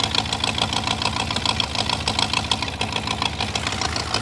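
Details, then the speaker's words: 2000 BMW E39 540i with the M62B44TU V8, left with a half-finished timing chain job and rusted cam lobes, first run after sitting: rapid ticking and puffing at idle from the front of the engine. A manifold exhaust leak is suspected; the timing chain is not ruled out. "it sounds like there's exhaust coming from the front of the engine that's really weird it's not it's not valve or uh like Thanos noise"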